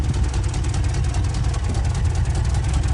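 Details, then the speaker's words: 1967 Lincoln V8 idling, still cold, heard at tailpipe end of newly finished exhaust: deep even burble, no puffing or ticking, quiet and healthy; owner unsure but suspects a small exhaust leak, possibly felt one. Normal idle. "you can hear the sound of the exhaust back here it'll sound better I think once she warms up a little bit but she's quiet listen to how quiet isn't this"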